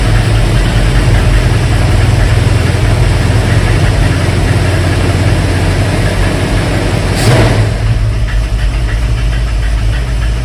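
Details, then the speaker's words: 1971 Mercury Comet GT V8, cold start around 60°F with choke set: fast light ticking/clacking knock over low idle rumble from front of engine, worse cold; source unconfirmed, owner checking fuel pump eccentric and valve train. "I have a couple ideas on that knocking, ticking, clacking sound. I'm going to first take off the two fan belts so I can eliminate anything rotating out of the equation."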